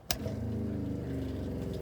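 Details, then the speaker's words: 1968 Silver Streak slide-in truck camper: after the hot water tank is lit, a short steady low motor hum with even pulsing and no grinding or squeal; the tank is lit and working, pumps working fine. "Let's see if I can get on the inside here. And it's lit. And working just great."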